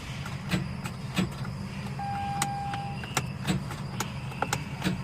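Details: Mazda RX-8 with 13B rotary and manual gearbox, oil and water checked, won't start: clutch in and key turned gives only light clicks and a chime, starter not turning the engine; engine suspected seized, cause unconfirmed.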